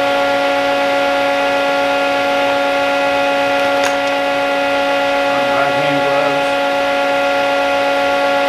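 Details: Old plasma cutter switched on after freeing a stuck, sticking internal switch found during troubleshooting. Loud, steady blowing hum with unwavering tones: normal running.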